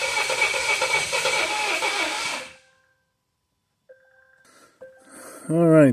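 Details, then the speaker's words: 2017 Volvo XC90 crank-no-start after reportedly stalling while driving; cranking with a pressure probe in the exhaust to trace a cylinder's compression loss; about 2.5 s of uneven cranking with one weak beat per cycle, never fires, low compression in one cylinder. "I want to see if we have any anomalies basically higher pressure shooting out of the exhaust to see if that's where our compression loss is at for cylinder number"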